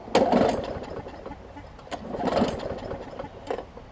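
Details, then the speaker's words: Newer Murray push mower that had oil in the gas and water in the oil: sputters in uneven bursts, never steady; rough surging running, owner plans to replace the carb diaphragm hoping that cures it. "so all right so nothing atypical here i will replace the carb diaphragm and you'll see me do that a thousand times"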